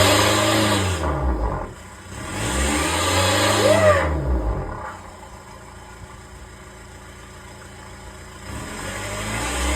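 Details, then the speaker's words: VW Touran TDI diesel with a reconditioned turbo and a boost problem, revved in the garage after a caliper change: revs rise and fall with a short rising squeal over one rev, put down to the turbine wheel; a loose washer rubbing inside. Fixed by fitting a breaker-yard turbo. "But I made a funny squealing noise, which I can only put down to a turbine wheel."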